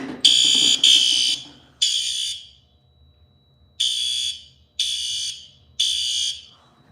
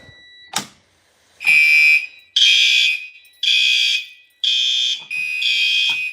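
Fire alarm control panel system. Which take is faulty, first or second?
first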